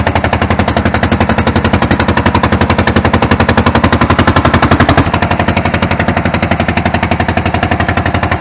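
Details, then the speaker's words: Hamm DV3K roller diesel, bought inoperable at auction, first running after valves were checked: loud, harsh, uneven thumping at about four beats a second while smoke lessens. Owner unsure whether it is compression or an injector not firing or atomizing. Rough running. "better smoking less and less I have a feel it could be some fuel I don't know could be oil that last little bit and the way it sounds I don't know if that's compression or if that's a injector not fire and not atomizing"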